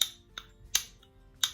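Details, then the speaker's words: Ducati 750S struggling to start: sharp isolated clicks about every half second with no cranking; owner suspects a magnet in the starter motor has come loose and is sticking. "quite that click and i think where it is is the magnet or one of the magnets that's come loose and it's stuck"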